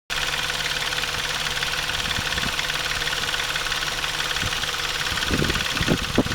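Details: Intrepid 2.7 at idle after water pump replacement: quick loose rattling tick over the hum, caused by the timing chain tensioner not released correctly during installation; fixed afterward.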